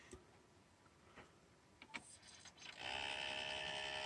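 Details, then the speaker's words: 1994 RCA boombox CD player, model RP-7975B: a few clicks, then a loud, even whirring hiss as the disc spins up and is read; the disc mechanism is noisier than it should be. "I can hear it spinning it's not now it's not flashing see so I must have read the CD yeah that's a loud mechanism"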